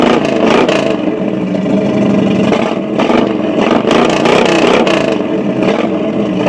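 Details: Chevy 350 V8 running with an uneven, lumpy pulse and small rev swings; rough running, suspected misfire, cause unclear.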